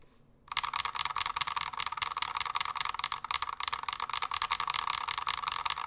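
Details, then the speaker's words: Stock, completely unlubed Glorious Panda switches: rapid clacky keystrokes, each with a thin metallic ping trailing it, from audible spring and leaf noise. "Not a terrible tone. You can definitely hear the spring and some of the leaf noise, but this is completely unlubed."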